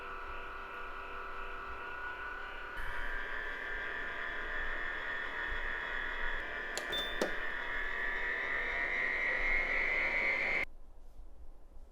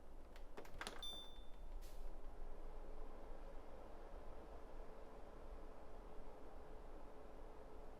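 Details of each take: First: Winix C535 air purifier before repair: loud whirring fan with high whine rising in pitch and rough grinding undertone from worn motor bearings, later replaced with NSK 608ZZ bearings. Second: Winix C535 air purifier fan motor after replacing worn motor bearings with NSK 608ZZ bearings (it previously whined and ground): a couple of handling clicks, then a soft, steady whir with no grinding or whine; normal, quiet fan running.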